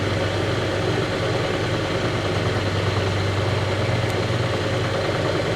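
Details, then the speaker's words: Restored vintage Lortone NS/8 8-inch lapidary arbor, first power-up without water: steady even low hum with mild vibration and no knocks or rubbing; motor runs normally. "All right, we're ready to test this out and turn it on and see where we got some problems. I'm sure we're not out of the woods yet here, so here we go. That's actually better than I thought it would be."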